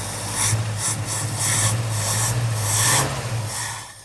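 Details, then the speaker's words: 1969 Ford Mustang V8, 59K miles, sat 30+ years: smooth, even idle on fuel poured into the carb bowl, no ticking. Owner guesses the long cranking while chasing spark pumped up the lifters. "Well, I'm amazed, I must say. The motor, it ain't even got no ticking going on."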